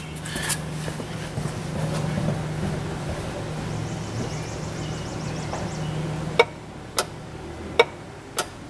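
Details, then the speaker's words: 2006 Chevrolet Impala with EVAP codes P0446 and P0451, EVAP vent solenoid near filler neck commanded on and off with engine running; four sharp clicks about a second apart; circuit likely good, sealing not confirmed. "it's pretty obvious that it's clicking you know obviously doesn't mean that it's sealing uh but it does tell us that the you know the circuit running back there is more than likely good"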